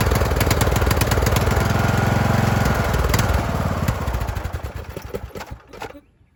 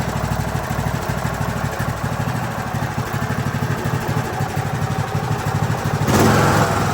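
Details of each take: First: Craftsman YT3000 mower running with a rough, uneven surge that rises and sags while the choke is worked by hand to smooth it, then winds down and stops; surging (hunting) idle, engine later swapped for a good one with new carb. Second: Craftsman YT3000 riding mower with donor replacement engine, first start after fuel added and carburetor filled, jumper pack hooked up (no battery); catches and settles into smooth, steady chug with no knocks or misses, normal idle.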